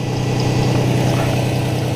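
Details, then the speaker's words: 2005 Ford Ranger idling after new serpentine belt install: steady idle with a faint light chirp over the low engine hum, likely from a pulley with a bad bearing; new idler pulley planned. Belt chirp at idle. "so she's running right but I'm hearing a little chirp that might be from that bad pulley bearing"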